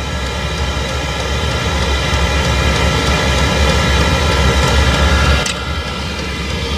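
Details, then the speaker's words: Chinese diesel greenhouse heater on a 12 V battery, turned down to half setting (trickle feeding) and now giving proper heat: the fuel pump at the back ticks steadily about four times a second under an even roar. The pump is working normally. "the fuel pump is at the back there just kicking over nicely"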